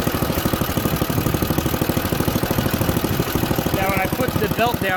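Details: Junkyard Ditch Witch C99 trencher, old, year unknown, small engine: even, quick firing beat holding steady as the drive and digging chain are engaged; pulls cleanly under load.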